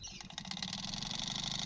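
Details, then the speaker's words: Noisy blower motor on a 2003 Mitsubishi Lancer ES, tested in accessory mode after blowing out rat debris with compressed air. It spins up to a high whirr with a fast fluttering rattle; works, but replacement is planned. "Hey, that's pretty good. So I'm hoping, that sounds like it's gonna be noisy though. It'll work for now until I get a replacement."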